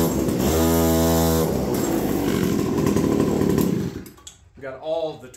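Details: APC mini chopper small two-stroke catches after battery-swap wiring work, buzzes loudly at a steady high pitch for a few seconds, then dies off; it fires and runs fine.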